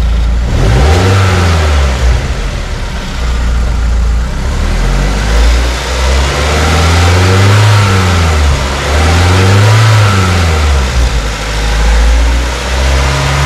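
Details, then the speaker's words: BMW Z3 E36 1.9 M44 140 hp inline-four, fuel pressure regulator, coil, plugs and fuel pump already replaced: revs swell and sag with uneven lumpy beat, engine shakes; rough running with heavy misfire, won't pass 4000 rpm, cause unclear. "elle tremble elle tremble excessivement grosse râpée grosse ratée d'allumage donc elle dépasse pas les 4000 tours elle rupture"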